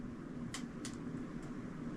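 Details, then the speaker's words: Hampton Bay 52" Quick Connect Contractor Edition ceiling fan running on high: steady low motor hum with short, sharp high creaks about every half second from the blades creaking on their rubber mounts; otherwise quiet airflow. "The blades are kind of creaky on the rubber mounts."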